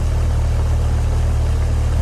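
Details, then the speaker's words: Outdoor AC condenser running but not cooling: fan whoosh and hum heard with no low compressor growl; the compressor is not running because the dual-run capacitor failed, reading bad instead of the rated 40 and 5. "well I hear the fan running but I don't hear the growl of the compressor down low"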